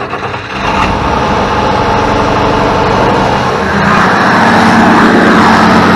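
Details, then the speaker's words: International 1586 tractor diesel, sat two to three years, in neutral, after installing batteries and solenoid check: catches quickly, swells, settles into steady clatter about four beats a second; starts easily and idles fine. "my 1586 fired up and and I mean it's been sitting for two or three years now and you heard how quickly and easily it just said boom"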